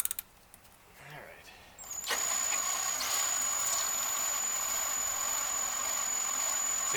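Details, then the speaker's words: Priming the oil pump with a drill on a 1956 Cadillac 365 V8 before first start, four quarts in, no filter: thin steady high drill whine that holds pitch, drill starting to struggle, oil reaching lifters; normal priming. "can feel that the um it's actually starting to struggle the drill and I can see down in the lifter Valley there's a couple of um lifters that actually have oil coming out of them so that's a good sign oil's moving everything like that"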